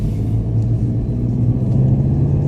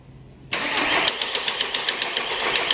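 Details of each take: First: 2014 VW Golf 2.0 TDI EA288 diesel on its test drive after the long-crank repair: a smooth, even low rumble with no knocks, misses or surging; the engine runs normally. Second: 2014 VW Golf 2.0 TDI EA288 diesel, first cold start of the day before repair, scope on the cam and crank sensors (codes P0341/P0016/P0011): the starter grinds on with even pulses, well over 3.5 seconds before firing; the cause is a sticking VVT central valve.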